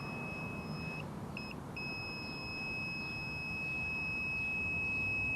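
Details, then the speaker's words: Digital multimeter continuity test on soldered CDI ignition wiring harness, ground lead then touched to motor, about 10 degrees in Ontario: high beep in short chirps, then solid on good contact, around 0.5 ohm; low-resistance ground path. "so you can hear my you can hear my meter beeping that's that's telling me now that's the resistance summer around zero point 0.5 uh so afternoon which is really good there's not much resistance there"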